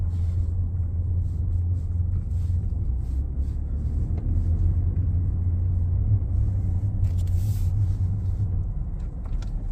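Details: 2019 Ford F-150 Lariat 3.5 while driving: steady low hum of even pitch under road rumble; front-end drivetrain hum suspected from IWE, 4x4 actuators or front differential, source not yet found.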